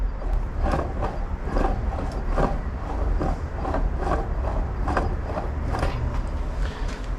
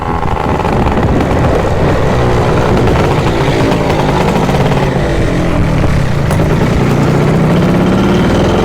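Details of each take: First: Yamaha Jog CE50 70cc two-stroke motor with a scored piston, spun by hand: a rough, rhythmic grinding rattle about once a second with each turn. Owner suspects worn crankshaft main bearings, unconfirmed until the crank is pulled. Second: Yamaha Jog CE50 70cc two-stroke after replacing a faulty fuse behind the starter motor relay: loud, raspy buzz climbs and falls with throttle and keeps pulling; rideable now, though some dead spots remain.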